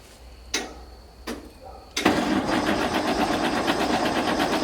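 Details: Galion T500 motor grader diesel, sat 14+ years since 2007, first start after radiator hose put back on and two busted hydraulic lines repaired: a couple of clunks, then steady cranking that never catches; fuel had been shut off when the pump was removed (suspected cause).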